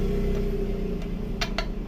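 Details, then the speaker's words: Sanchin steam cleaner pump being repaired: sharp, uneven clicks over a low hum as the shaft turns; bearing found destroyed and crumbling, causing the engine knocking, removed for replacement. "kalau dengar bunyinya nih, bearingnya hancur."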